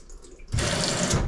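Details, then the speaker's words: LG WM2301 front-load washer, top removed, troubleshooting low water fill: valve clicks open and water rushes in steadily without sputter; this inlet valve works, while the hot water valve is found not working. "so this valve is working currently but there's three of them on this one bank to put the different locations"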